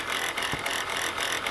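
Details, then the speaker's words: Chrysler Pacifica (2004–2008 generation) engine running: fast dry rattling hiss from the engine bay with pulley wobble and brown residue around it, alternator bearing suspected shot. "From the looks of this and the sound of this, look like the alternator bearing is shot. And based on the appearance of, see all this brown stuff around in this area? See how that pulley bouncing around?"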